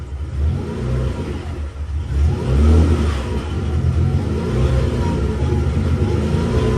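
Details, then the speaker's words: 1992 Nissan 300ZX with freshly installed engine on first start, twin-turbo ECU, untuned, 91 octane fuel: idle swells and sags every second or two, hunting; runs better with the NA ECU, owner suspects running very rich. "So it runs all right. It just it idles up and down like that."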